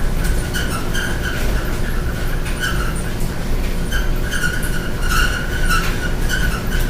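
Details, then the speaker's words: Loud pulsing squeak, roughly twice a second, over a low rumble from a dryer while the drum turns, heard during a home inspection after a complaint of noise in the bedroom wall; something rubbing, cause not identified. "I told her this was very loud this loud squeaking noise coming from the dryer"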